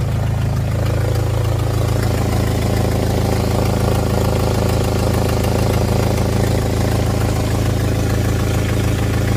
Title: Jeep engine with exhaust leak